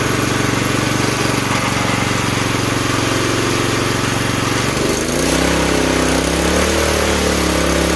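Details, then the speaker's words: Campbell Hausfeld CE2000 gas wheelbarrow air compressor with 5.5 HP single-cylinder engine, running with the belt off; steady even pace with no misses or knocks, sounds promising and healthy. "I would say at that point that sounds pretty promising."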